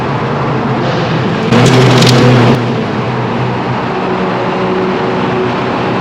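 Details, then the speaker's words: Ratarossa (Ferrari) driven through a tunnel: over loud engine drone, a sudden second-long burst of rapid slapping and squeal, then the note drops; owner thinks the alternator belt exploded, car failed two miles from destination. "now the rata rotter was sounding pretty epic in a tunnel until i got to the point where it made this noise and gave me a very brief heart attack"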